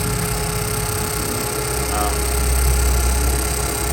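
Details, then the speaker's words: Suzuki Swift air conditioning compressor whine at idle: steady mid-pitched whine over the engine, gone when AC is switched off; pressures read 35 and 175, cooling still good; likely compressor short of oil. "Ang problema ay maingay ang compressor. So ayan medyo may huni po yung compressor niya."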